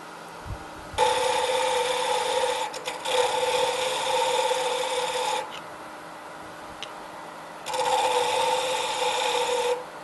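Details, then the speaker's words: Pen turning on a wood lathe: rough, raspy cutting bursts on one side as the tool catches the corners of a blank not yet round, smoothing out once fully round. "now if you notice uh one way you can tell that you've got the round roundness put into the pen blank is that you hear it noisy on that side"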